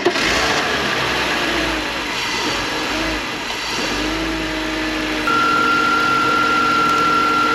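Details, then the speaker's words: Engine after a hydrolock, only running with the intake manually choked: uneven, hunting idle. Owner suspects a big air leak or a faulty MAF signal rather than an engine problem; not confirmed. "So manually choking, it runs. Okay. So. Too much, bro. But that's the best it's ever run, just with a little chokage."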